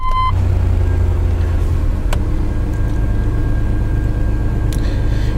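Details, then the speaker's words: 1995 Chevrolet S10 petrol engine idling very smoothly, a low steady idle with no fluctuations, surging or misses; normal idle. "idles very smoothly. No fluctuations or anything."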